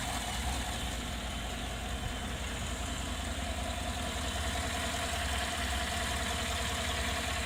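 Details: Idle recorded with the hood open: a steady engine hum with a faint, regular tapping about 2.5 times a second. The noise is odd and its cause unidentified.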